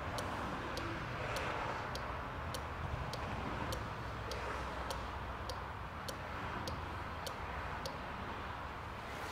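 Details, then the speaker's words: Relay tester cycling a genuine cooling fan relay from a 2006 Opel Astra 1.8 with overheating: crisp, even clicks about every half second, and the tester reports the relay good. Normal relay clicking. "it'll kind of go through open and close that opening and close and it will tell you at the end if it's good or bad"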